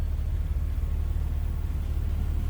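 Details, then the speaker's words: 1984 BMW 325e, 2.7L inline six with a Getrag 5-speed manual, 105,000 miles, heard from inside the cabin: a deep, even low rumble with no knocks or ticks. A smooth, normal idle. "So like I said, a lot of life left in this BMW. Very smooth running engine. What you'd expect it to sound like. Inline 6."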